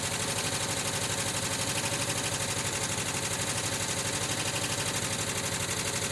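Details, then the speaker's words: 1979 Volkswagen Westfalia on cold start, engine rebuilt with brand-new Porsche hydraulic lifters: light, fast ticking at about three per second over the cold idle, fading as oil refills the lifters. "still a little ticking but it's going away the oil flows back in lifts fills up the hydraulic lifters"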